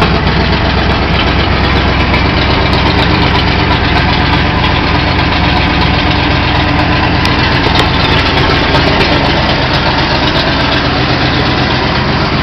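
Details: Big block Chevy V8: loud lumpy idle with uneven rattly knocking about two to three times a second; clutch noise.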